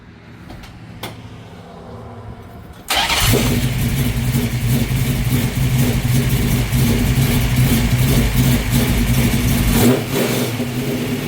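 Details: 408 small-block Mopar Challenger with new out-of-box Holley 850 Brawler carb (replacing 750), floats just adjusted, warming up in garage, no load: quick throttle blips rise and fall cleanly with no hesitation or stumble.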